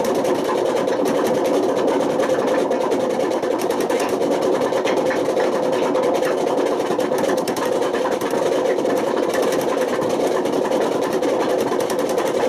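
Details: Washing machine on fast spin with badly worn drum bearings: a loud, continuous, harsh roaring rumble without let-up. The bearings got so bad they damaged the spider and put excessive wear on the motor.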